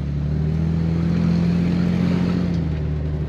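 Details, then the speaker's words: 1966 Chevrolet Corvair Monza convertible, rear-mounted 6-cylinder, 4-carburetor 140 hp engine with automatic transmission, shifted into drive and pulling away: smooth, even growl climbing cleanly through the revs with no knocks or misses; runs superbly. "on passe en position drive et on les parties voilà alors elle fonctionne superbement voilà"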